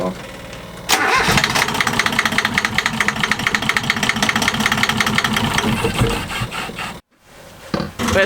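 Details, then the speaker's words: Sailboat diesel engine after bypassing the old lift pump for a new electric fuel pump and changing diesel-contaminated oil: catches and clatters unevenly, then cuts out abruptly because the fuel valve was left off; fuel starvation stalling. "stupid we didn't turn the fuel valve back on it was off so that's why it was falling but it's running now and it hasn't stalled yet"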